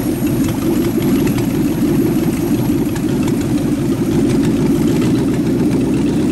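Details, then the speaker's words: Rat rod truck idling with a York AC compressor converted to a belt-driven air pump for an air-bag suspension, building tank pressure, switch set near 100 psi; loud steady mid-pitched idle drone, no knock or miss, normal. "so I'm crank it up and just let it idle to show you how fast this builds up pressure"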